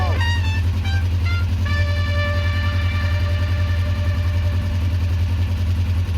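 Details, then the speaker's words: 2004 Kawasaki ER-5 twin after carb work, bled and newly fitted exhaust: deep, even burble holding a steady idle with no hunting or popping, idling cleanly and sounding great; normal idle. "oh looks and sounds great to me so far guys"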